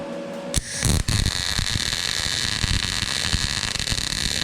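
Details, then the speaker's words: YESWELDER MIG-205DS MIG welding 1/8" plate with .030 wire and argon/CO2, inductance set to -10: harsh crackling arc with frequent sharp pops over a steady hiss, leaving spatter bits. Not clean; inductance too low. "So that's at a -10. Not super clean. We've even got some little bits there."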